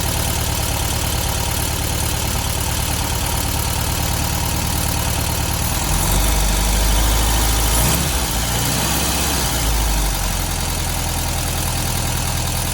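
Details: 1972 VW Beetle 1200 air-cooled four at idle after valve clearance adjustment and new plugs, running better on all four cylinders; light regular tapping is valve train noise, owner suspects clearances set overboard and will tighten them.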